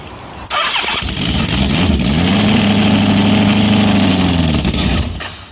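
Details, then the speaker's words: Homemade supercharged, fuel-injected Kawasaki Z1000 on a twenty-year-old aftermarket ECU, with the cold-start fuel map modified: catches, idles unevenly about three seconds, then stalls; air getting in or bad fuel suspected, unconfirmed. "it just dies yeah so I'm just thinking that there might be air getting in the yeah"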